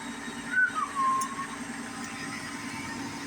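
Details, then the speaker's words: Gas furnace after new igniter installed, restarted: short whistle at start-up, then steady low inducer motor hum, smooth and even; runs a few seconds before a click and gas. Normal inducer operation. "there we go induction Motors cruising along that'll run for a few seconds then next thing we should hear is a click and then we'll get our gas to our jet will turn on"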